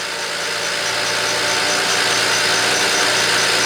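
Steady, even idle with a smooth rhythm and no stumble or skipped beats, a healthy engine with the misfire gone.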